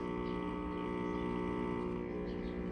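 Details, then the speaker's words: Philco Model 7030 signal tracer after repair with a new capacitor: with fingers within a centimeter of the input, a steady, loud, even mains hum with a buzzy edge comes through the speaker. The amplifier works and is now very sensitive. "It's super super sensitive now. I mean, if I just get my fingers within a centimeter of that."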